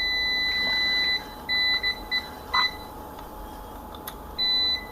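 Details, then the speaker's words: DOL starter overload relay, manually reset after tripping, tested with a multimeter across the NC contact. A steady high continuity tone drops out and returns in short bursts, confirming the NC contact is closed and normal. "Reset ചെയ്തിനു ശേഷം ഞാൻ കാണിച്ചു തരാം ഇപ്പോ NC normal ആയിട്ട് വന്നിട്ടുണ്ട്"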